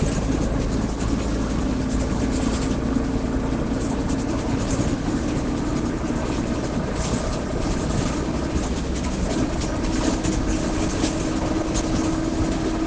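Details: Inside a Caio Apache Vip 4 bus on express route 369 Candelária–Bangu: a steady low howl over road rumble that rises with speed. The differential is described as roaring; differential whine.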